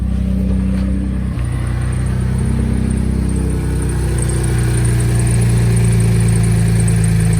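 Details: 2011 Ford F-150 3.5L EcoBoost V6 idling smoothly after installing a Master Lube pre-oiler kit (oil pressure built before start) to address cold-start rattle; steady low hum, no rattle or knocking.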